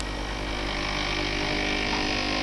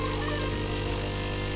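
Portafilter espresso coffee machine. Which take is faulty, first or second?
first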